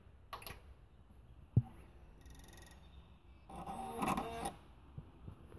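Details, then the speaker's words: Asus BW-16D1HT Blu-ray drive in a newly built PC, empty, microphone at the drive, on wake from sleep: sharp clicks and a brief rising whir with rattling seeks. Still happens with the SATA cable disconnected, so the drive itself is blamed. "It's the most annoying sound to hear every single time you wake your PC up."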